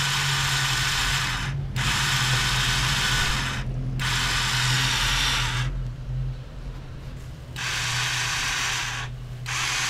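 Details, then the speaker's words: DM200 motorcycle with spark, fuel and compression but no start, microphone near engine: repeated two-second harsh gritty grinding bursts while cranking with no firing; starter drive slipping, attributed to a damaged bendix. "amigos como ya pudieron ver es un ruido Como si se patinara algo"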